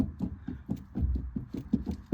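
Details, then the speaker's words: 1998 Honda Civic rear drum-brake hub, wheel off, rocked by hand: dull loose knocks as the whole hub moves outward. The rear wheel bearing is shot with excessive play, and the car sways on the highway. "So it's moving, and it's not supposed to. I'm literally pulling outwards. So that wheel bearing is shot. It has a lot of play."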